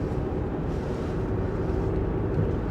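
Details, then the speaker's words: 2007 Jeep Liberty on the road at steady cruise after replacing the front drive shaft and both CV shafts and changing the gear oil; even low road rumble from noisy BF Goodrich tires, no vibration, no crunching or roaring underneath: normal drivetrain. "The tires, you know, BF Goodrich's, they are a little noisy, which that's still there. That didn't go away. But no vibration,"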